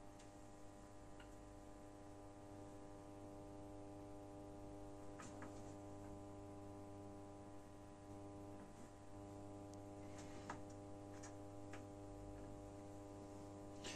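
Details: Genius 5.1 home theater satellite speaker at minimum volume: low, steady buzzing hum with faint ticks, same on all channels; mains hum through the output.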